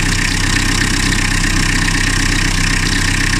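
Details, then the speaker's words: Car whose engine was rebuilt 2–3 years ago after overheating, idling: a steady clatter with a fast high bird-like chirp about four times a second, like a bearing. Suspected slipping auxiliary belt. "Bakın şıkır şıkır şıkır kuş ötme sesi gibi bir ses var arabada. Şöyle dinleteyim. Yani sanki rulman dağılmış gibi bir ses var. Şıkır şıkır yapıyor bak, kuş ötüyor gibi."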